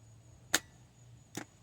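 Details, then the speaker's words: Original starter from a 2002-2006 Toyota Camry 2.4 L that would not crank, tested off the car: two sharp solenoid clacks about a second apart with no motor whir. The pinion throws out but the motor won't spin, so the starter is defective. "This one is defective, definitely, as you can see. So now it's not turning over anymore. It's only coming out."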